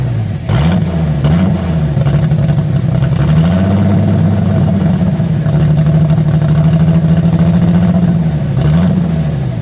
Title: 98 mustang 3.8l rough idle after split port swap